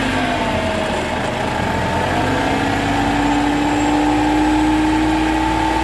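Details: Vehicle on lifted wheels, engine running in 5th gear: steady drivetrain drone with a thin whine rising with wheel speed, located at the rear differential; a worn pinion bearing inside the differential is whining.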